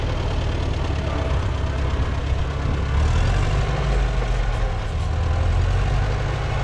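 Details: Co-op E3 tractor (about 1947) after years of sitting, later start, chains off: low steady idle with a slight speed swell midway, no misses or knocks; runs smoothly, though fuel leaks.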